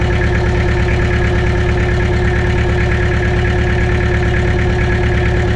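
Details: Mitsubishi BD2F dozer diesel running on its own after two or three years, after cleaning rust from fuel primer pump and bleeding injectors; smooth low beat around seventy-odd per minute, no knocks or misses; normal idle.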